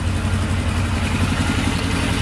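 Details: Polaris Sportsman 500 4x4 ATV after its no-spark problem was fixed. A steady, even single-cylinder idle with a smooth low thump and no knocks or misses; the engine is healthy.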